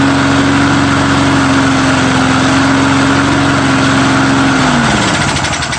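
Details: Mower after a true cold start with undrained gas holds a steady, even drone, then sags and winds down at the end; owner thinks the primer bulb is partly plugged.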